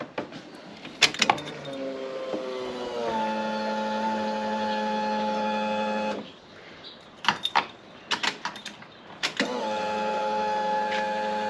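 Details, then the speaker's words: Project Zero 28 fuel pump prime, pre-filter clogging suspected from broken-down ethanol fuel, carpet removed: steady, even electric hum for a few seconds then stops; much quieter than before, priming normally. "that is significantly quieter and that's without the carpet on"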